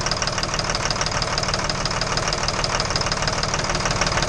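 Steady idle with a sharp, even tapping running about three per second over the engine note; a knock of unknown origin.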